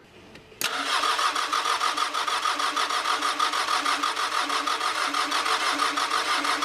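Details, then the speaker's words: 1983 Ford Ranger with factory 2.2L Perkins 4.135 diesel, after filling filters, bleeding the lift pump, cracking injector lines, fresh battery: steady cranking about three turns a second, no firing, spitting or smoke; crank-no-start. "all right I got fuel there it's not even trying to spit or sputter no smoke yet"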